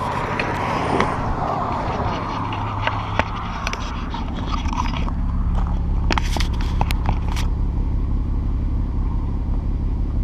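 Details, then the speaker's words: Salvage Mk5 VW Golf R32 revving, with the microphone near the exhaust, which hangs off its mountings; deep engine note with sharp cracks and pops, an exhaust blow, and the owner suspects the catalytic converters were stripped out. "yeah isn't it there's a blow Oh they've stripped out the cats because it pops and farts a little bit"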